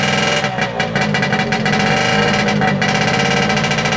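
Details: Late-1960s/about 1970 Yamaha P125A two-stroke outboard, first start after rebuild, on a stand without impeller, choke on: rough, busy burble with a few uneven blips; running normally.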